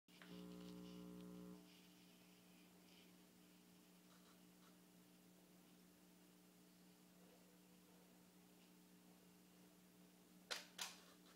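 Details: Canon 35mm f/1.4L lens after a beach trip, showing ERROR 01: short electrical buzz, then faint steady hum and two sharp clicks, worst in Live View.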